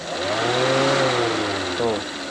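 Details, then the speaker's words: Honda Freed with a red overheat warning light, electric radiator cooling fan motor bench-tested with direct power: an even whir spins up, holds steady and winds down cleanly, no scraping or rattle; the fan is OK, only needs servicing (brushes still long). "berarti kipasnya aman ini, paling minta servis aja ini. kipas aman."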